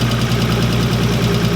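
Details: Nissan 180SX with RB20 engine swap, first start: loud rough idle with fast, even ticking knock, seeming to come from one side, not exhaust; cause undetermined.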